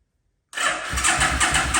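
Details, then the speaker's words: 1974 Yamaha RD250 two-stroke bobber project fires up after a quiet gap, then idles unevenly with lumpy pops and surges; running rough, owner plans to go over the carburetors, and it also has a fuel leak, suspected O-ring. "It does run a little rough. I definitely have to go over the carburetors and try to get everything figured out."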